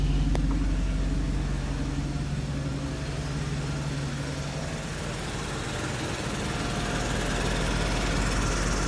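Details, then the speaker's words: 1995 Mercedes R129 SL500, 84,000 miles, cold start after lower engine wiring harness replacement: steady low V8 idle with a constant whirring hum from the smog pump, which runs until warm-up then shuts off; secondary air pump running. "noise is the smog pump running. It'll do that till the car warms up, and then it'll shut off."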